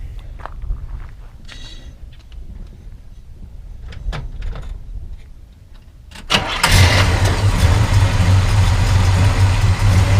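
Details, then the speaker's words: 1970 Chevelle SS454, LS5 V8, factory 4-speed: short crank, fires at once as it does every time, into a deep, even, lumpy idle with a quick throttle blip showing lots of torque; normal start and idle. "you know it sounds good and this starts up like that every single time just give it a little throttle just quick a lot of a lot of torque"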